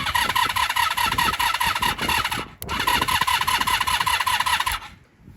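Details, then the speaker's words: 1983 Honda V45 Sabre VF750S that sat outside, weak battery, on choke: starter cranks with a rapid whirring whine and a brief break, then stops; the start button isn't making contact, and it sounds tired. "what it is then the start button isn't making contact I don't know if I can start it she sounds really tired"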